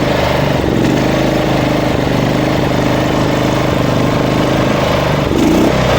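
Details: Small lawn mower engine idling with an uneven pitch that swells and sags, rpm jumping up and down; debris blocking the fuel/intake pipe starves the engine of gasoline, fixed by clearing it; surging, hunting idle.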